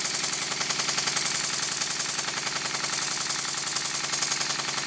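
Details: Model steam engine running on compressed air after steam chest and cover refitted with six new 4BA hex bolts and exhaust pipe extension added; crisp, even hissing chuffs about three to four a second, no stumbles; sound changes as a spanner covers a hole in the bench; normal running.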